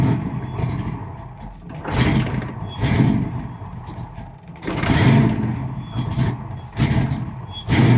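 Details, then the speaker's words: Fox-body Mustang with 24-lb injectors and original MAF possibly uncalibrated for them: engine cranks and catches in short surges every couple of seconds, then sags without settling into idle; hard start, stalls after catching. "Fuel pump works. All right. So it almost wants to run."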